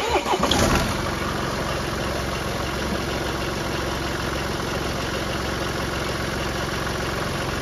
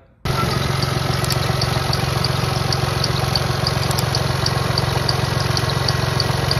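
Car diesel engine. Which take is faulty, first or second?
second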